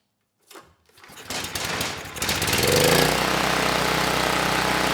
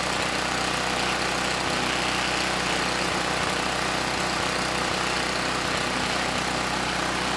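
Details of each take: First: Campbell Hausfeld 5000W generator (GN503100AC), 9 hp Briggs Vanguard engine, after swapping the oversized clone pilot jet for the OEM pilot jet with the clone main jet: a few pulls and sputters, then a steady, even drone running smoothly without load. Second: Campbell Hausfeld GN503100AC 5000 W generator, 9 hp Briggs Vanguard, started on choke: steady drone with slightly lumpy, uneven beat; engine sounds good but clone carburetor runs it way too rich.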